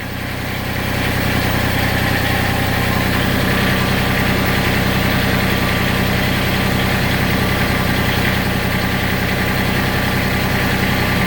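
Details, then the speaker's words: Massey Ferguson GC1710 diesel sub-compact tractor at low idle: uneven, lumpy beat about two and a half pulses a second, heavy shaking, power nearly halved; rough idle, owner suspects a misfiring or dead cylinder. "now I idle it down and you can see how rough I mean I I can't I wish I could show you how much this knob is moving but it's bouncing tremendously"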